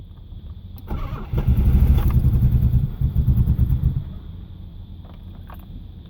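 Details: Nissan Maxima VE30DE: starter churns about three seconds with an uneven whir but never catches. Fuel pressure 40 psi; MAF, IACV, injectors, plugs, coils, PTU and crank sensor replaced; starts only with crank sensor fully advanced.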